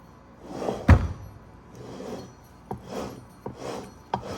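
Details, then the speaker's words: Honda S2000 rear differential (2006–2009) with questionable aftermarket parts, rebuilt by another shop, spun by hand: a rough roar swells and fades. The LSD is wonky and there is virtually no bearing preload; it should be nearly silent. "you shouldn't hear that should be smooth and and pretty much quiet but that thing definitely is roaring and when you get on the road with that thing it's going to sound like not good anyway"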